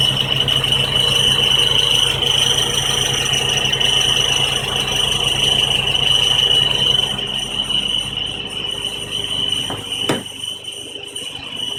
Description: Squealing actually comes from the down pipe and resonator pipe connection. There was no gasket and the engine vibrations rubbed the 2 metal pipes together.